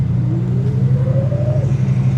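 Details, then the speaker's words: Classic Barracuda convertible V8 with a single-barrel carburetor, on the road: deep, even rumble pulling up smoothly as revs climb, no misfire, knock or stumble; transmission appears to shift; decent though not very powerful. "I guess it is shifting, Mike, cuz there's no way it'd be doing the the speeds we were doing. And yeah, I She likes to go. It seems decent. Not bad for a little single barrel carburetor either."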